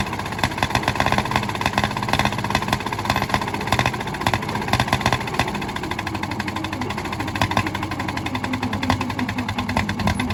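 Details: 1951 D8 2U dozer big diesel, sitting in a barn since 1990 and started via a pony motor that preheats its intake: running steady with an even, rapid firing beat and no knocks or misses, sounding healthy.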